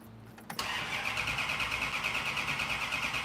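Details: Car being started for the first time, cranked to bring fuel up: steady starter churn about three beats a second with no firing; cranks but won't catch, fuel starvation suspected, possibly spark.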